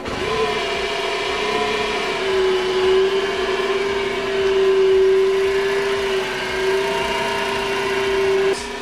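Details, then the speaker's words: 2012 Smart ForTwo, about 92,000 miles, parked 7–8 months, on start-up: loud steady whirring whine of constant pitch over the engine, attributed to worn accessory belt tensioner; owner feared alternator, still to be checked. "I buy that very cheap from my friend, but with one thing. Why is it cheap? Because when it starts, it makes quite nasty noise."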